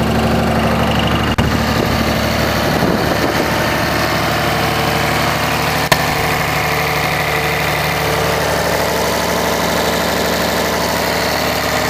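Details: 2004.5 Ram 2500 Cummins diesel idling: loose, uneven knock under the normal clatter with a couple of sharper raps; knock heard in reverse when the truck bounces on brake release but goes away at idle in park; cause unclear.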